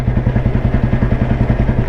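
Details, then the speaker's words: 1993 Royal Enfield Bullet 350 single with crank weight, riding slowly in top gear at about 25 km/h to show torque: deep even thump about ten beats a second, no knocks or rattles; normal clean low-speed pull. "ഞാൻ ഇനി ഇത് ഇതിന്റെ ഞാൻ slow down ചെയ്യുകയാണ്. ശരിക്കുള്ള torque കാണിച്ചു തരുകയാണ് കട്ടോ."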